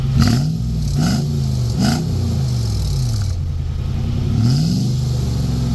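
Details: Truck with the muffler removed, before a muffler patch repair: loud, raw, booming exhaust that blats harder on each throttle blip. Open pipe with the muffler missing.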